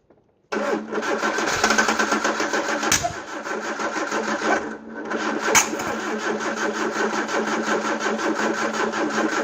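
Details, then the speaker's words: Peugeot 309 with camshaft-driven mechanical fuel pump, petrol poured down the carb: starter turns slowly and laboriously for several seconds with no firing; low petrol and a weak battery suspected, electric fuel pump considered. "I think it's safe to say I'm going to need more petrol and charge the battery up, and we'll try again."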